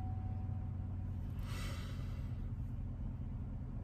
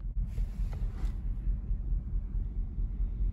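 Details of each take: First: 2014 Silverado V8 idling after its tune was returned to stock to check whether a cylinder misfire went away: a deep, steady, even burble with no stumble; engine running normally at idle. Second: 2014 Chevrolet Silverado V8 with aftermarket tune chip, cylinder 7 misfire code, cleared but still rumbling; low uneven idle rumble with a thump about twice a second, classic misfire lope.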